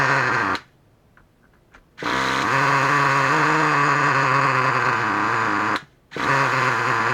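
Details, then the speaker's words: New Traxxas Revo 3.3 nitro engine running on its first idle break-in tanks after a motor swap. A high, screaming note holds steady with a slight waver and brief cutouts; normal running during break-in. "So, as you can hear, it's screaming in the background right now, which is a good thing because it's still running."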